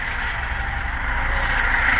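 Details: Carbureted VAZ 2106 with unstable idle that periodically stalls, checked on a motor-tester before opening the carburetor: low, uneven chuff with a wandering beat, rough idle.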